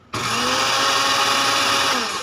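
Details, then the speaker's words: Dowell blender motor runs normally with a steady high-pitched whir after the repair. It had power but would not spin because the on/off switch contact had come loose and fallen off. "Okay na gumana na uli yung ano yung blender na to bale naging problema ito yung switch niya rito ito yung pinaka contact niya rito"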